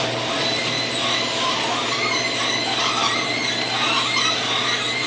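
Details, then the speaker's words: Garage door reversing back down at 15 degrees outside after Green Hinge System hinges were installed (matching rollers didn't fit); loud rattling hiss with high scraping squeals throughout travel, cause unclear. Noisy garage door operation. "Pretty loud, isn't it? I'm not going to open it all the way. I'm going back down."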